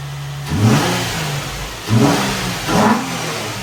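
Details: 2004 Nissan 350Z just after fitting new OEM-spec fuel pump, cam and crank sensors: fires after priming and takes three clean throttle blips, each rising and falling smoothly back to steady idle; normal start and revving.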